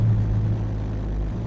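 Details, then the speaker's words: 1974 first-gen Ford Bronco started after starter work, air cleaner off, spilled fluid burning off: steady, even low rumble at idle with no knocks, ticks or misses, healthy idle. "it's looking good it sounds good here you [Music] go good running Little"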